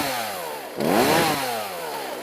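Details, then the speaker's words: Poulan chainsaw (eBay, new bar and chain) after adjusting the low-speed screw, high adjustment believed fine: blipped from idle, the pitch climbs straight up without bogging, then settles back smoothly; clean throttle response. "picks right up and so that it doesn't bog down as you're throttling up"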